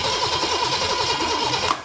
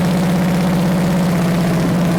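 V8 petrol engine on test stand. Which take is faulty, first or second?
first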